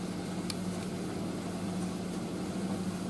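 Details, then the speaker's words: Indesit IS31V 3kg compact reversing tumble dryer, about 2 kg load, full heat, door briefly open: low even hum with no rattle or vibration, a soft drum tick; normal running. "it's a lot quieter than the uh cradles and it doesn't vibrate at all that's really about it to be honest"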